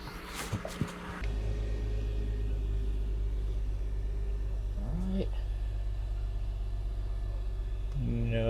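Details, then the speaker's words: Mercedes C350 (W203/W209) right after replacing the non-working fuel pump and fuel level sender with a VDO unit: a smooth, steady idle with a faint even pump hum and no knocks or hiccups; the fuel pump runs normally, with no leaks or smells. "You can hear our pump pumping away, which is good news considering this one wasn't working all of 12 hours ago."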